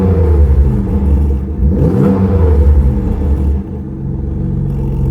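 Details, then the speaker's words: Mazda MX-5 NB Miata with Jaguar 3.0 V6 swap and standalone ECU, idling with the exhaust valve closed: deep even low rumble with a smooth steady beat and a brief blip; normal quiet idle. "So this is what the car sounds like when it's idling and when the exhaust valve is closed."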